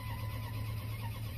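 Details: 1998 Dodge Ram 1500 that died suddenly and had its crank sensor replaced: steady starter drone and even cranking but never catches. The scan tool shows no crank revolutions despite a 5 V reference, and the ASD relay is involved. Crank no start.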